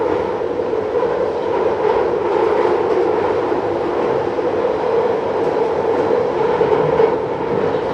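Sustained high metallic screech over the running rumble, holding steady as the train moves; wheels squealing against the rails.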